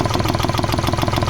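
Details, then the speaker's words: Hyundai Xcent after a full engine overhaul by another mechanic, idling: fast even knocking clatter heavier than normal diesel tick, engine misfiring and blowing black smoke; knock cause unconfirmed, EGR cleaning planned. "ये स्थिति है गाड़ी की बहुत condition खराब है sound में थोड़ा डिस्टर्ब हो चुका है और नेट में से बड़ी अजी तो गरीब आवाज़ ए रही है"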